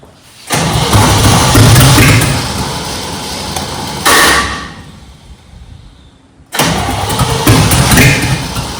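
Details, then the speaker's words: Junkyard-rescued 1969 Chevy C10 small-block V8. Slow, uneven cranking in two long bursts with a pause between, and the engine does not catch. The starter is labouring; the owner suspects a poor distributor cap and rotor, unconfirmed. "This starter is just horrible."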